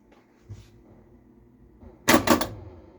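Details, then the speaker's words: Stern Electronics Big Game pinball at first power-on: quiet hum then sudden sharp clacks as a pop bumper fires by itself; owner suspects the switch gap is too close and flipper vibration triggers it. "I think I heard my three drop Target solenoids reset and then this pop bumper just fired obviously the switch is a little close on that"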